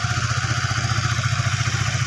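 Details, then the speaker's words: Used, previously seized Honda Sonic 150 after camshaft cover wear from dry oil was fixed, engine reassembled, idling: small single ticks over quickly, fairly smooth with a slight unevenness, normal for a used bike; acceptable idle. "suaranya lumayan halus teman-teman ya ada sedikit ada sedikit pasar itu Ya wajar lah ya karena motor ini bekas Motor macet"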